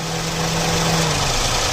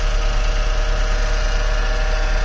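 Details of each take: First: Toyota Paseo after AC compressor pulley bearing replacement (gas kept in system), engine idling with AC engaged: steady even idle, no grinding, rumbling or squeal from the compressor pulley; the new bearing runs quiet. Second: Toyota Passo idling petrol engine: steady rough whirring drone from a badly worn AC compressor pulley bearing; compressor to be unbolted and moved forward to replace the bearing.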